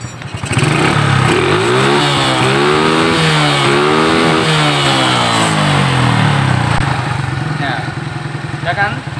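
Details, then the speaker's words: Shogun 125 motorcycle after tightening a loose, shaking part that caused a rattling knock like a rod knock: revs rise and fall with a clean, even note and no knocking, even at low speed; no replacement needed. "Sekarang sudah tidak terdengar suara ketukan lagi. Oke, saya akan mematikannya agar semuanya jelas."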